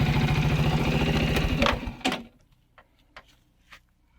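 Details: Viper Active motorcycle single-cylinder after fixing a knock from broken dampers, running without muffler: quick even putter with no knock or clatter, then shut off; normal idle.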